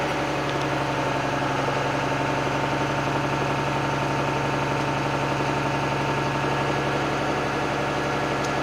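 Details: Truck diesel heard from in the cab during the pre-trip applied brake test: a steady even idle with a low drone and no knocks. Primary air builds from 85 to 100 psi in 21 seconds; normal idle.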